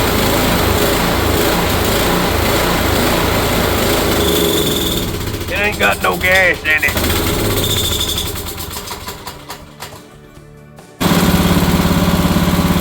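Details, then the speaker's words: Kohler single on a Cub Cadet mower, first start after sitting years in a shed with a mouse nest; carburetor cleaned of gel, fresh fuel, temporary patches: a fast, even chug, a brief dropout, then it picks back up. Runs. "but after cleaning the carburetor getting rid of some mild gel things in there some fresh fuel she actually fires right up with the temporary patches I made so you'll get to see proof of life here"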